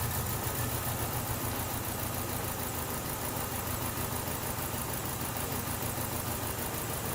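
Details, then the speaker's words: 2012 Chevrolet Cruze with flashing check engine light idles unevenly and shakes; misfire on cylinder two persists, coil confirmed working on cylinders 1, 3 and 4; cylinder misfire. "shaking like a leaf go get you shot attached my misfire on number two is still going"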